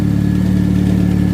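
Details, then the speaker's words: 2005+ Chevy Optra 2.0L after sitting over a year, jump-started after alternator noise repair; steady, even idle hum with no whine, chirp or rattle from belt side; belt and alternator quiet, exhaust leak remains. "Should have no winding sound on this. Yeah, not bad. Got no winding sound anymore. That's quiet. Nice."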